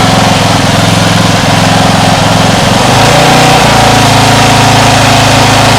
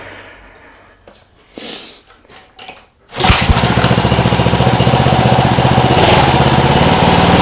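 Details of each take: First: Homemade air-cooled outboard built from a lawn mower engine runs rough at low throttle, note wobbling and stumbling unevenly before steadying; owner thinks idle may need setting higher, and suspects water caused quitting. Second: Homemade air-cooled outboard from a cheap lawn mower engine, after quitting earlier (maybe water): catches and settles into a steady, even putter about four beats a second, driving the propeller forward and reverse; runs cleanly.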